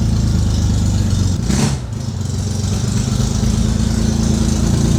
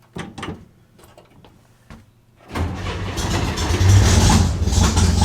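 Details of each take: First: Air-cooled Corvair, warm restart: low, uneven rumble with a brief dip mid-clip, then rough running. Intermittent hot restart trouble; the starter solenoid is suspected, and a jolt of power usually starts it. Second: Air-cooled car cold-started right after the battery was hooked up: quick crank, catches at once, settles into a steady idle, shuts off and restarts cleanly. Normal cold start; hot restart still to be tested.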